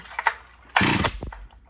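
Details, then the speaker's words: G366 Stihl MS361-clone chainsaw with 18-inch bar: a short burst of firing ends in a sharp pop and dies. Backfire on starting, seemingly when the cord is pulled too gently; cause not confirmed. "Whoa! You hear it backfire? You know, it does kind of sound kind of weird, but I think I might have to be careful by not pulling it so easy because it'll backfire."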